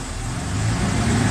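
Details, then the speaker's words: 1995 Ford F-150 4.9L straight six at 201,347 miles, idling about 800 rpm after fixing a misfire, stalling and bouncing tachometer; even low rumble with no stumbles. Normal, smooth idle. "air running good I'll so yeah here it saddling like a like a brand new vehicle"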